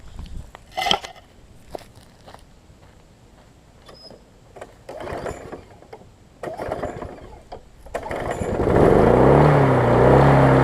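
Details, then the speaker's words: Husqvarna self-propelled mower after service and cleaning, primed and started: after clanks the engine fires and climbs straight to a loud, high, hard-revving run; engine overspeed, throttle set too high, to be turned back. "so it's running a little too fast as you can tell so I'm gonna push this back a little bit kind of work on that a little bit"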